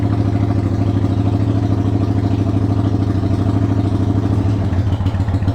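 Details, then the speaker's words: 1993 Yamaha Virago XV535 V-twin, slightly cold, choke used, after first spark plug replacement: uneven lumpy loping idle with irregular misfiring pulses, struggling; rough running, owner suspects own error, cause unconfirmed. "okay first impression is yeah I messed up oops I"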